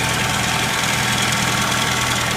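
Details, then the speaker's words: 1997 Saturn SC2 small four-cylinder at idle, never maintained, oil only topped up: fast light ticking over the hum; owner suspects lifters, not confirmed. "sounds to me like it could just be lifters"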